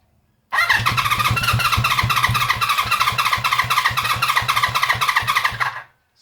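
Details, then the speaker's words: Honda CB350 Four first start attempt with choke on: fast even starter churn with compression pulses about four per second for five seconds. The engine tries but never catches and sounds a bit rattly. More petrol is to be added. Cranking, no start. "Sounds like it wants to. Just a minute. Give it more petrol. Bit rattly."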